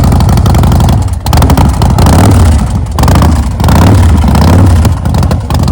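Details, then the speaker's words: 2008 Big Dog Ridgeback motorcycle, S&S V-twin, 6-speed, 2,135 miles, Supertrapp pipes, cleaned carburetor; cold start on choke after sitting: loud lumpy bark rising and falling with throttle blips, catching cleanly and pulling strong. Healthy start and revving. "So, we're going to try to start this up. I'm going to put the choke on over here. I'm going to wiggle it a little bit, get some gas in it, and see what happens. This has not been started in some time."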